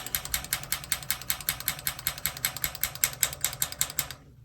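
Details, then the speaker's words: Newer-style water heater being relit, pilot button held down: sparker fires a quick run of sharp, evenly spaced clicks about five a second, then silence; first attempt clicked but no flame heard, so retried; igniter working normally. "And I heard it click right here. You can hear it click."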